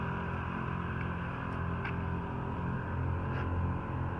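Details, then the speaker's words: 2009 Acura TL with Airlift 3S air suspension, two Viair compressors, 5-gallon tank, 150 PSI setup, airing up from fully aired out: low, steady droning hum, even pitch, no knocks or squeals; compressors running normally, front slow to rise as sleeves need much air. "I don't know if you guys can hear that, but they're running."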